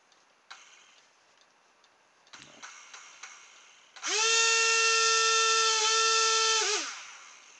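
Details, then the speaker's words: Hovercraft fan motor burnt out by too much voltage, reused on an electric-fan car; hesitant clicks, then a shrill whine spins up, wavers unsteadily and winds down: burnt-out motor running rough, needs replacing. "So, it's clearly not happy. This one, uh, when I do get it going, it sounds absolutely awful. I think that's going to go. Basically, they're burnt out, so they need to be replaced."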